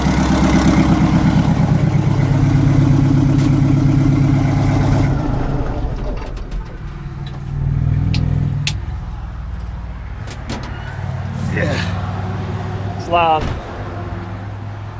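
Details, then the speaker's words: 1960 Kenworth W925 vintage semi truck diesel started with the exhaust cut off and the manifold open: loud, raw, rapid unmuffled barking, then the engine shuts down; engine seen leaking. "well that sounds like open hoping manifold let's find out"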